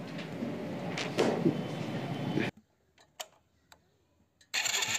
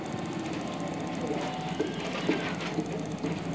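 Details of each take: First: Hero Splendor iSmart motorcycle cut out after about 1 km once hot and lost ignition current, not out of petrol; two self-start cranking bursts with steady rapid chuffing, turns over but never fires: crank no-start, owner suspects CDI. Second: Hero Splendor iSmart motorcycle, engine cold, with a new CDI fitted after it cut out when hot and lost ignition current; steady even single-cylinder putter at fast cold idle, starts and runs cleanly with proper current: normal cold idle.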